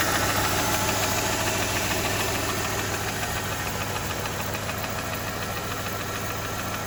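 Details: 2007 Mercedes E280 with 3.0L M272 petrol V6 built after the balance shaft fix idles with a steady, regular knock of about three to four beats a second.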